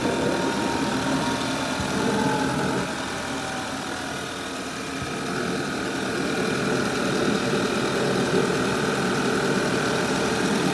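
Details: 2011 Audi A5 2.0 TFSI at cold first start-up idle: a loud, steady vacuum-cleaner-like rush of air over the engine hum. It happens only when cold; no noise or hesitation when driven hard warm at 140 km/h.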